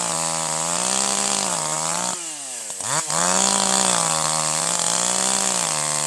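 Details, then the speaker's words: Older piston-ported chainsaw without electronic controls, high-speed (H) screw slightly rich: unloaded wide-open howl stutters and four-strokes unevenly, then smooths to a steady pitch when loaded in the cut. "In this case, when the saw is running wide open with no load, you hear a slight hesitation."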